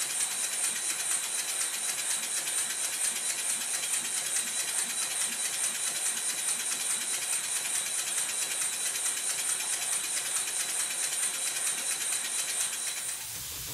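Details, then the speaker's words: Rebuilt Stuart model steam engine with a corrected slide valve orientation and proper timing, fed low pressure. Even airy hiss with soft exhaust beats of about 140 a minute and no knocks; running sweetly. "The engine bursts into life and there's not much pressure going into it."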